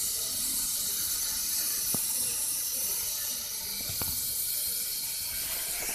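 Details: Ford Figo 1.4 TDCi A/C compressor making a steady, airy high hiss with no clear rhythm; cause not determined.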